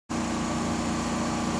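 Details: Steady, even rattling drone from an off-grid generator holding constant speed while powering water pumping in winter, no surging or missed beats; running normally under load.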